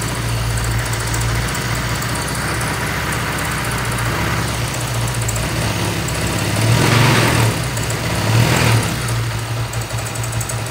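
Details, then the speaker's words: Honda Vario Techno 125 FI scooter idling: steady low engine hum with a rough, uneven whirring from the water pump; water pump bearing noise, pump being replaced. "Keempat, terkadang pada radiator khususnya water pump suaranya bunyi pada bagian water pumpnya, pada saat motor dinyalakan."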